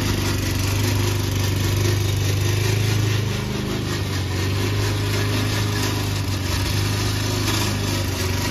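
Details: Old Toro Recycler mower cutting Kentucky bluegrass, binaural recording, before fix: steady engine drone under a loose, rattling clatter from the drive system; the noise was later solved with WD40.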